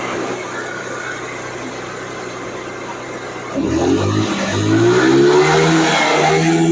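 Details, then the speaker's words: Carbureted Honda Vario (early generation, KPB code) that came in dead, revved after repair work: steady idle, then throttle blips rise and fall cleanly with smooth, even pickup; normal revving. "Ini aman, Pak. Enggak putus. Ini aman. Tuh di blayer-blayer aman."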